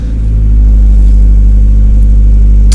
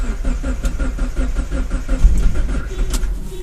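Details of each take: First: 2004 Mazdaspeed Miata, pro-tuned on Hydra, right after a cold start at about 45°F: steady, deep, even rumble with no knocks or misses. Normal cold idle. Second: 2004 Mazdaspeed Miata, pro-tuned on Hydra, cold start at about 45°F after the fuel pump primed, first crank attempt: regular cranking chug at roughly four to five beats a second with no catch or fire, then it stops. Cranks but no start.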